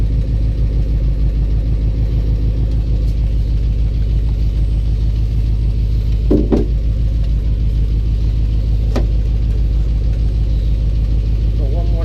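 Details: 1984 box truck at its first start in years, with a new ignition cylinder, running on 15-year-old fuel and no oil pressure gauge. Low rumbling idle with an irregular knock of about 100 per minute; there is a known exhaust leak tick, but the owner suspects a cracked or loose flywheel or torque converter.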